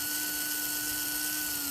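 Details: HO scale brass Union Pacific FEF-3 4-8-4 #840 model locomotive powered via the tender lead touched to the base: steady, high, thin whine at even pitch with no stutter. Motor running smoothly.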